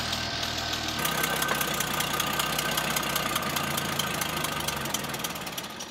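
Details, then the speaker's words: 1939 Hudson barn car, old six on its unrebuilt carburetor with STP fuel treatment added, idling unevenly with irregular ticks about four a second; rough running, owner suspects a sticking needle and crud burning off, improving as it runs. "we may have a needle in it that's just it getting hot enough to actually burn off all the crud right"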